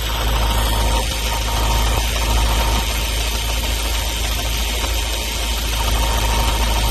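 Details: Ford Focus RS Mk3 turbo petrol engine idling: faint, fairly quick tick under the steady hum; source unknown.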